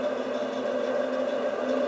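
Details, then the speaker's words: 3 HP three-phase motor for a milling machine, converted to single-phase with 50 and 60 µF capacitors in parallel (110 µF) on a start push-button; switched on, steady mid-pitched hum with no speed rise, energised but not yet turning before the start pulse. "Pasamos el switch, oímos cómo suena el motor y le damos un toque."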